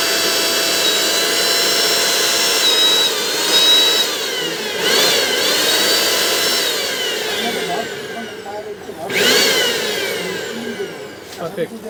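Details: Bajaj GX 1 mixer grinder after repair of a dead, not-working unit: steady high-pitched motor whine with slight rises and dips under load; motor runs evenly.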